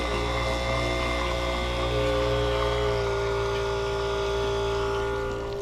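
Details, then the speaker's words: 3-point tractor sprayer sitting 30+ years, rebuilt, first run with water: pump motor whine shifts and settles as it takes on load; pump has picked up prime and water starts coming out. "There we go. It's picking it up."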